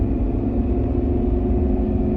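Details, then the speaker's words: 2005 Range Rover L322 TD6 diesel, 190k miles, motorway cruising: steady even low rumble under road noise, no knocks or misses; engine runs nicely, only suspected faults are fuel system and engine not reaching working temperature. "again the engine runs really nicely uh I don't think there's"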